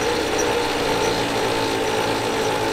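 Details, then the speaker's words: Ram 1500 Sport held in gear on the brake: loud harsh continuous grinding roar with a metallic whine, coming from a failed front differential. "that sounds brutal. I can't believe the noise that's making."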